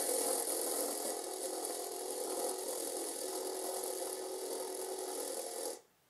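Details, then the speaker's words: 3D-printed FDM bearing on camera slider carriage, stepper motor driven at feed rate 10: constant harsh hissing grind through the slow slide, stopping when motion ends; rough printed bearing, less apparent above feed rate 100. "even if I just spin this with my fingers we can hear that it makes a lot of noise"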